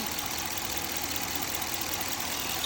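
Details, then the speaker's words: 2021 Dodge Durango R/T 5.7 HEMI just after spark plug and ignition coil replacement: steady, even idle with no misses, stumbles, knocking or excessive vibration; normal idle, no misfire. "So, in this case, I'm not seeing any excessive vibration going on."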